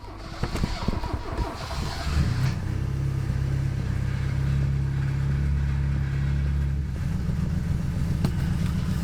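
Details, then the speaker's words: Mk III Ford Escort cold-started on a jump pack with choke: loud, deep, raspy exhaust drone at idle, far too throaty; all the baffles had blown out of the silencer. "yeah all the baffles blew out of it last time all the baffles blew out of it yeah that's why it sounds like a race [Music] car"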